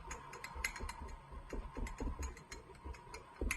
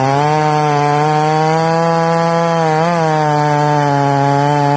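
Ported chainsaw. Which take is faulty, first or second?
first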